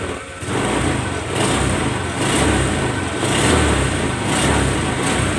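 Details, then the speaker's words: Honda New Vario 125 LED scooter after light service with CVT rollers and belt cleaned; smooth light throttle blips about once a second over steady idle, revs much lighter than before service, no knocks. "Oke, tarikannya sudah ringan sekali guys ya, nggak seperti awal mulanya tadi guys"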